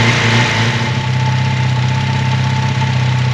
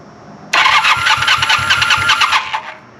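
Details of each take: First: 1980 Honda CB400 T Hawk twin after restoration (carbs rebuilt, oil changed), first run on choke with fuel bottle; steady even idle with smooth throttle blips, no knocks or rattles, then shut off: healthy. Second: 1980 Honda CB400 T Hawk, bought as non-runner, first start attempt after carb rebuild and oil change, choke on, fuel fed from bottle; starter spins about two seconds with steady chugging beat, never catches: cranks but does not start.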